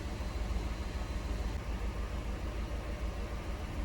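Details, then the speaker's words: Chevy HHR Ecotec with new coils, low on coolant and throwing code P0300, idling: a low, uneven idle with irregular thumps and dropouts. Misfire isolated to cylinder 2, suspected injector. "so here's a fancy graph showing me that cylinder number two is peaking for a misfire that's nice fancy"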